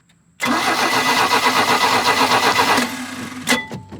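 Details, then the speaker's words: 1986 Larson V175 Seneca 17 ft ski boat engine: steady fast cranking about four turns a second for over two seconds, never catching; spark tester shows no spark, distributor cap to be checked. "all right so I got my spark tester on there I spun it over and it's not uh it's not sparking so we're going to pop the distributor cap off and check underneath there"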